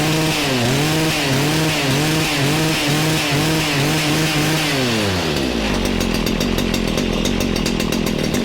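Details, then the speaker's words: Stihl FS94 two-stroke trimmer after recoil replacement, burning off bad fuel before tuning: revs surge and sag about twice a second, then a low lumpy idle; runs low, probably rich. "it sounds like it's running a tad low and rich probably just rich because if it's too rich that our engine speed and idle can be pretty low"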